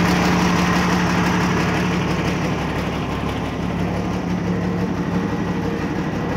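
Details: 1989 Ford Cargo diesel truck fired right up on its battery on first start after sitting one month; even, steady idle at about three beats per second with no knocks or misses; normal idle.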